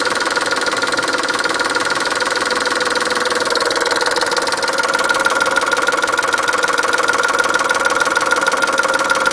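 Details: Chrysler Stratus/Cirrus engine after a timing belt change: steady fast ticking, roughly three per second, with a faint high tone, also heard while accelerating; abnormal ticking noise after the belt job.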